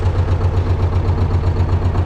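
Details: T-16MG self-propelled chassis diesel just cold-started at −10°C using the decompressor and clutch pressed: steady, even low thrum with regular firing pulses and no knocks or rattles, a clean normal idle.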